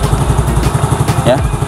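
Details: Yamaha Mio Soul GT 115 scooter after new cylinder block installed, old block worn: steady, even low single-cylinder putter at idle, no knocks or rattles, idling cleanly.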